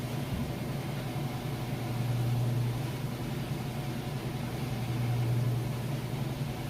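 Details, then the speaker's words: Kenmore washer, normal setting, warm water, super capacity plus, loaded with jeans and towels, final spin at full speed: smooth steady low hum, level and stable, no knocking or banging; normal spin. "Nice and level, stable. No weird noises or anything like that. I'll show you that it is spinning nice and fast."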